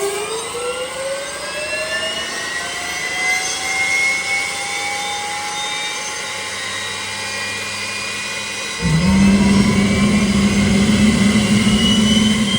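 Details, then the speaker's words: Boeing T50 jet turbine-powered Camaro driving under load: turbine whine climbs steadily in pitch, then a deep steady roar takes over; turbine running healthy. "What a great ride. Coming down nicely from the high RPM too."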